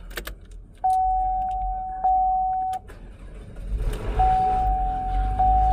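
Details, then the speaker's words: 2015 Chevy Malibu that had a no-crank, no-start, no-communication fault and was killing the battery, after communication is restored with a scan tool: door chime and key jingle, short crank, then an even idle; normal start. "All right, starts up now."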